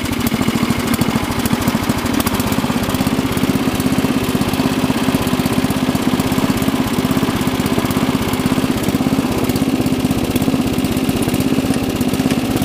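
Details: Rebuilt Murray Lawn Chief lawn tractor, 11 hp single-cylinder, already warm from mowing, rebuilt clutch, new belts and chain: steady even thump at settled idle, no misses, knocks or rattles; engine runs healthy.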